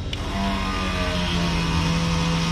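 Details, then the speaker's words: Airboat electric fuel pump fed 12 volts directly on a found unplugged wire runs with a steady even hum, no surging or grinding; pump works, fault lies in the wiring after metal work. "there's our fuel pump wire okay so we found our fuel pump wire"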